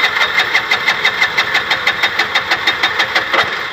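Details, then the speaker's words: Bajaj BS6 LPG auto-rickshaw with the gas injector removed and held away: the engine catches and runs at a rough, even chug of about three beats a second. It won't start with the injector fitted, so the injector is faulty. "Without ಇಂಜೆಕ್ಟ್ರಲ್ಲಿ start ಆಗಿದೆ ಗಾಡಿ. Injector ಹಾಕಿದ್ರೆ start ಆಗ್ತಾ ಇಲ್ಲ."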